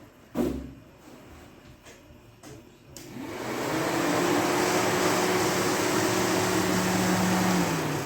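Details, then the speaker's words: Dodge Neon stock car after crash repairs, fan tested with the battery on before starting: a few clicks, then a steady whoosh and even hum with no rattle or scrape. Cooling fan runs normally. "Fan runs."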